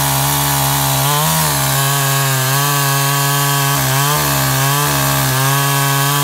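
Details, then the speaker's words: Makita top handle climbing chainsaw after ignition coil replacement, cutting wood: high steady two-stroke scream sagging briefly as chain bites and picking straight back up, running sweet; little chain oil, air filter missing. "ah seems to be running sweet can't get much chain oil though"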